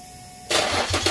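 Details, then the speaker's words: Car start-up after exhaust pipe repair with new nuts and bolts: quick crank into a firm, even idle with blips, no ticking or puffing; loud exhaust leak gone. Normal start-up. "all right that sounds a lot better no more loud exhaust leak"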